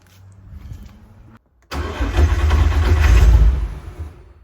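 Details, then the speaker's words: VW MK4 R32 twin turbo, first start on new setup: starter cranks, engine catches with a low rumble for about two seconds then dies; owner suspects insufficient fuel pressure, unconfirmed as no gauge fitted. "seconds that sound like it was going to start then oh oh my way oh my way okay it started and cut out I wonder why it cut out"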